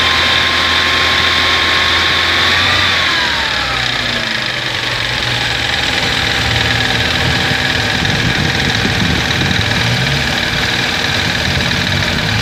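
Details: Abnormal engine noise of unknown source at idle; engine doesn't misfire, starts and idles well. Steady idle with a loud hiss, a whistle dropping in pitch and an uneven rattle underneath.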